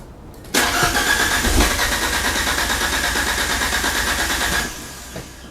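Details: Fiat Panda with swapped Abarth Panda Turbo T-Jet engine: about four seconds of cranking that never catches to a clean idle, then stops; hard start.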